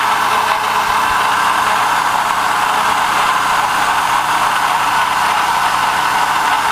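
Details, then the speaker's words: 2005 Chevy Uplander 3.5L V6, complaint of loud rattle on start and coolant drip: steady metallic rattle and whir over the idle; water pump bearing completely shot, pump to be replaced. "it's got a pretty bad water pump so the water pump bearing in this thing is is completely shot"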